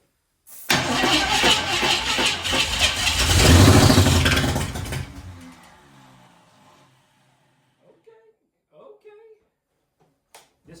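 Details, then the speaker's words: 1967 Ford Mustang V8 abandoned 20 years, start attempt with manual choke off: cranks, catches and roars briefly, then fades and dies, won't settle; unclear whether air or fuel is the cause. "but it's not going to settle is it it's not going just no I don't think it will"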